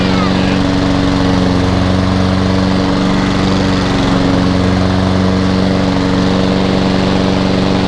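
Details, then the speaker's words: Hayter 48 mower with Honda engine from a job lot, new air filter fitted, drive now working strongly: strong, steady engine note with an even beat and no misfires or rattles; normal running. "fantastic that's a relief which drives really really strong as well"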